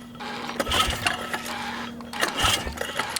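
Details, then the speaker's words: Suzuki Ozark 250 quad stored seven years under a deck, new spark plug: two short starter bursts, turns over but never fires; no spark, CDI suspected. "as i thought we had no spark so um i think i'm gonna put a battery on it and uh see if that helps any of our issues here"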